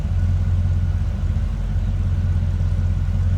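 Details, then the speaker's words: 1966 Chevrolet Impala Convertible with a newer Edelbrock 4-barrel carburetor, heard from behind the car at the exhaust just after an easy start: deep, even V8 burble at idle with no misses or knocks; normal healthy idle. "Step around to the back here so you can hear it run. Nice exhaust"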